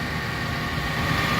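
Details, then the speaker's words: 2010 Toyota Avanza 1.3 G manual, 1300cc 4-cylinder petrol, about 214,000 km, engine bay open: steady, even idle hum with no knocks or ticks and minimal vibration, a healthy engine. "Nah untuk memeriksa mobil kondisi masih oke mesinnya kita bisa dengarkan ritme suaranya Terus getaran mesinnya juga kita perhatikan getaran mesinnya minim"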